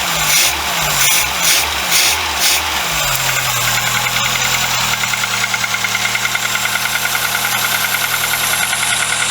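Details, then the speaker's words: VW Golf Mk2 after cylinder head gasket replacement, cold start; crankshaft seal oil leak, cracked coolant pipe and broken Pierburg wax stat pending: cranks in uneven pulses, catches at about three seconds, settles into a steady, fairly even cold idle with light tick. "we're going to do another cold start today just to make sure everything's still okay"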